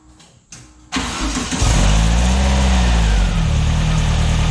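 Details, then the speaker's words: Newly built VW air-cooled 2332cc stroker (84mm crank, 94mm pistons, Engle FK42 cam, dual Weber IDF 44) in a 1966 split bus, first start: catches, then runs loud and uneven with wavering revs and an unknown noise. Owner suspects timing or carbs are off. Rough running. "all right see the timing's a little bit off or the carbs what is that noise let's try it again"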